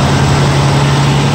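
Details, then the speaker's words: 1973 GMC motorhome with an Oldsmobile 455 V8, idling from a cold start after sitting a few weeks: even, steady low burble with no misses, stumbles or ticking. Normal idle; no blue smoke, hardly an exhaust leak. "No blues. Not a miss, a hiccup. Sounds like $1 million. Yeah, I know Oldsmobiles, and that sounds fantastic."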